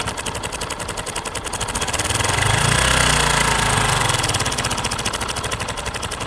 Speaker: This is called cam chain or timing chain noise. It comes from the clutch side of the engine.